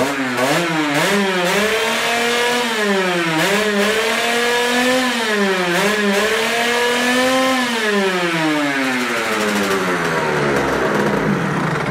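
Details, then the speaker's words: Rieju MRT two-stroke, hot engine: snaps up and down through the revs cleanly and holds revs, after failing to rev out before; cone filter had let air bounce back off the closed reed valve. "silnik się wkręca jak szalony a nie było tego wcześniej nawet na tym stożku prawda"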